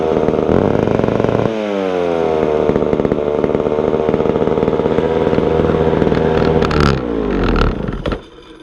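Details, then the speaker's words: Vintage McCulloch Super 550 two-stroke chainsaw after carburetor cleaning, throttle was hanging up: fast steady idle buzz that never drops to a slow putter; idle speed too high. "it's idling a little bit high but it's running I'll go ahead I'll fire it up for you"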